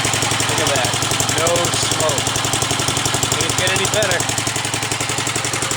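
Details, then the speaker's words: 1945 Gravely Model L single-cylinder at first start-up, with used oil added, oil lines bled and a different plug. Pull-started; the starter may not have been cranking fast enough. Quick, even putt-putt at a steady idle with no stumbles or knocks; runs nice. "all right not bad 45 is run I think runs nice that's for sure"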